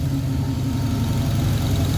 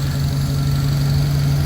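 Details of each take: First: 1966 Pontiac Catalina wagon with Sniper fuel injection, warm at 176 degrees, IAC at 25; low, steady, even rumble with no misses or knocks, normal warm idle at 650 rpm while chasing an intermittent high-idle IAC issue. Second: 1966 Pontiac Catalina wagon with Sniper EFI, warm at about 180s, IAC reading 0 after lowering from jacks: steady, slightly fast idle with no hunting; idle too high, owner suspects an IAC or ECU driver issue.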